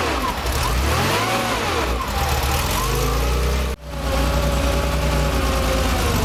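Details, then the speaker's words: Rebuilt Porsche 2.7 L CIS-injected engine after electrical repair of the auxiliary air slide: settles to a steady low idle with no hunting or surge, a brief dip midway, then even again; high idle resolved, tuning still pending. "now that we've got the engine up and running we can see that our high idle situation has been resolved with fixing the auxiliary air slide"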